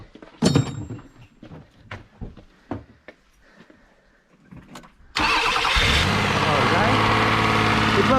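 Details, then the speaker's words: 1997 Lexus ES300 test start after a starter replacement: the starter spins briefly, the engine fires promptly and settles into a smooth, steady idle, confirming the repair worked. "let me test up the process do you want and let the customers start the car make sure it worked okay millie start the car and let's"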